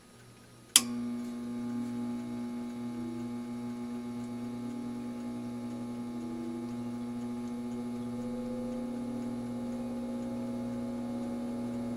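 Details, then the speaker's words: All-metal variable-speed solder fume extractor fan at lowest speed after its dry bearing was oiled with 3-in-One oil: a click at switch-on, then a smooth steady low hum with a faint buzz and slight vibration; runs normally. "uh this is at the lowest speed and yeah it kind of does have a hum and a vibration I can feel it here"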